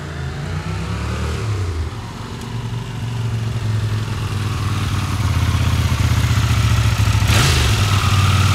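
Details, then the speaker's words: 1982 Honda CX500 twin, neglected for years: wavering, surging low-rev idle that won't hold steady and nearly stalls; carburetor not working properly, plugs on both sides black (too rich), cleaned and gapped; owner suspects removing the idle screw, cause unconfirmed. "the main attraction is of course carburetor um it's just not working properly it's um it dies out when it idles"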